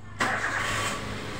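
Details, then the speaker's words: Toyota Avanza after a tune-up for shaking and unstable rpm, cold, ignition cycled before cranking: it cranks briefly, catches cleanly and settles into an even idle without flaring or racing; rpm no longer too high, and a 700–800 idle is expected once warm. "untuk rpm-nya seperti itu sudah tidak terlalu tinggi tidak terlalu Meraung ya jadi seperti itu caranya"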